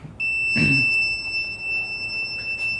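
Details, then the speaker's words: Boost cut pressure switch on a turbo LS-swapped Ford Ranger, bench-tested with compressor air and continuity buzzer: steady high-pitched buzzer tone while closed; inconsistent switch. "I'm going to turn the pressure up so this is going to go really high like 60 psi you can hear it kind of turning off already but the problem with that is it's intermittent and it's turning off already way below 15 psi"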